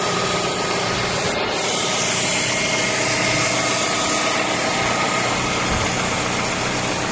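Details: Audi A3 8P facelift 1.6 BSE engine: steady, smooth, firm idle with no misfires or stumbles under outdoor hiss; normal idle.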